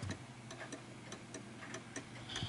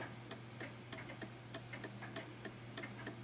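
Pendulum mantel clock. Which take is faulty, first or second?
first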